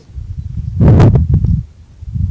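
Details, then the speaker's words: Water hammer in a house's water supply pipe as someone adjusts the flow rate: a sudden heavy thud followed by a few quick rattling knocks as the flow is cut off. "so let's look at waterhammer all right this is a water hammer that somebody is observing at their house in the"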